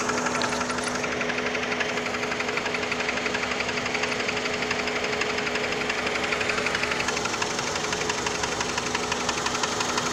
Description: Can someone tell me what the knocking is on my 02 pt cruiser ?